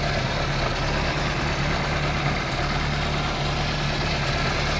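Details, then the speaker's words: Daewoo Nexia idling after alternator repair and belt tensioning: a steady, even idle with a smooth low hum and no knocks. Charging reads 14.2 V, and the alternator is delivering good current. "Генераторымыз жақсы ток беріп тұр."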